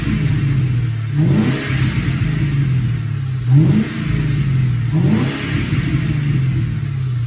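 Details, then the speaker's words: F100 with a Crown Vic engine swap, just running after fixing a loose-bolt ground issue: three clean throttle blips rise and fall crisply back to a steady idle with no hesitation or knocks, a normal healthy run and rev. "now it's running now I just have to button everything up and I can drive"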